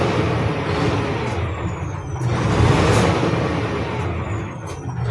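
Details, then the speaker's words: Isuzu 6WG1 diesel that had hard starting, low power, shaking and heavy breather smoke, after fitting newly calibrated injectors: loud even rumble, steady beat, no stumble or shake; now running smoothly with quick throttle response. "Tapos ito yung ano niya nangangatal. Ito ngayon testing natin siya. Wala na. Smooth na."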